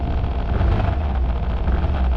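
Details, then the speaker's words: Suzuki Burgman Street 125 scooter at about 3,741 km, idling after start: a low throb with a fine vibrating buzz that stops when pressed by hand near the cluster. The owner suspects a loose internal rubber bush; unconfirmed, taken for service. "സംഭവം ഇപ്പൊ വണ്ടി വണ്ടി start ചെയ്തു കഴിഞ്ഞാല് sound കണ്ടോ ഒരു vibration എന്നുള്ള sound ഇത് പോയി"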